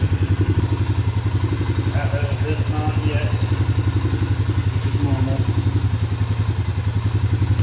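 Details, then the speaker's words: Suzuki Vinson 500 quad after machining, a new gasket and new oil: a steady, even idle thump, roughly 220 beats a minute, with no misses or knocks. It is not leaking and sounds better than the very noisy engine before. "sounds better with the new oil it was very noisy before"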